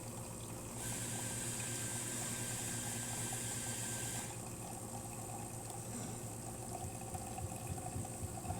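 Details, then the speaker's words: DeLonghi Magnifica S after repair of the burnt-out grinder motor: steady pump buzz and low hum, water hissing and gurgling, settling as the shot finishes; normal brew cycle. "And so now it's going into the mechanical valve, and it's going to start brewing here. There you go."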